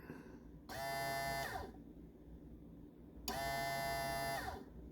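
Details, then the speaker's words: Boat bilge pump fed direct power by power probe, bypassing float switch: two short clean bursts of steady motor whine; pump motor works, didn't run through float switch circuit. "Okay, I've managed to probe that wire, and now I'm gonna apply power, and you'll hear the pump run."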